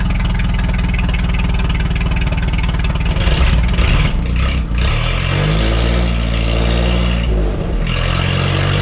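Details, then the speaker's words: Forklift engine after replacing the bad spark plug: even idle, then revs cleanly and drops back with no stumbles or misses; misfire fixed, runs great. "The miss is fixed. There's a bad plug. All right. Well, that's exciting. Seems to run great now."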